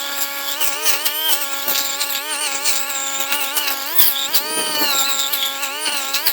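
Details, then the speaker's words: STIHL string trimmer cutting tall grass with line about 4 in too long (guard's line cutter missing); high buzzing whine keeps sagging and recovering, engine bogging under load from the overlong line. "I don't know if I just got rid of it or what, but my line is really about 4 in too long. Did you hear how much harder that works?"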